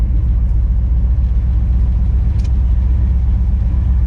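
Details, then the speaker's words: 1959 Chevy El Camino on its first drive in 29 years, after driveshaft bolts that fell out were refitted: steady low road rumble with no grinding or rhythmic knock; quiet driveline. "we got it bolted up. It sounds like it's working now."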